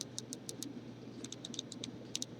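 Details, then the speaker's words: Uwell Crown sub-ohm vape tank, airflow control ring turned: crisp light clicks in quick runs, each snapping into a detent; very clicky airflow adjuster, normal for this design. "a very clicky airflow I don't know if you guys can hear that"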